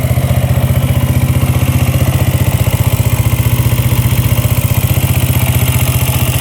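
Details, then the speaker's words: Yamaha Raptor quad after valve clearance check, good compression and spark: steady low thump at about three beats a second, no smoke, no knocking or top-end tapping; normal, settled idle. "Top end sounds good. No knocking. Idling perfectly. Nice and low."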